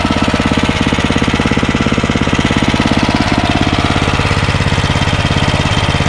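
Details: Ariens ST1128 snowblower, 11HP Tecumseh Snow King engine, after carburetor cleaning fixed surging, warm but not hot after running a while: steady, even single-cylinder beat with no surging or hunting; smooth and healthy.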